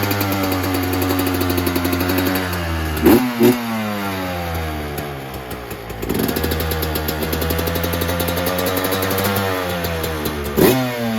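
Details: 2024 Yamaha YZ125 two-stroke after fitting a new FMF pipe and silencer, JD jetting kit, Castrol full-synthetic oil and new fuel mix to cure jetting problems and fouled plugs: crisp ring at idle, sharp throttle blips rising and dropping back cleanly; revs freely, healthy.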